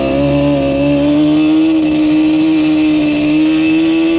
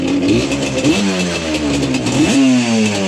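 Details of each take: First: Yamaha Banshee two-stroke ATV with Alpha Cup 350 kit after fixing its bog, warmed up, no choke; high buzzy drone then crisp blips climbing and dropping without hesitation, far more responsive, no bog. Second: Yamaha Banshee two-stroke with very low compression, slightly warm, ridden. Blips unevenly, stumbling and sagging with a ragged miss at low rpm, running a bit better higher up; bog from stuck top piston rings.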